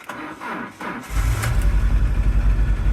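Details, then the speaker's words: Peugeot Boxer auto-sleeper camper started in neutral on a weak battery: cranks then catches into a lumpy idle with a rhythmic stumble about four times a second and rich fuel smell; misfire. "And it has started. You can hear it's got like a a bit of a misfire sound. Don't sound too healthy."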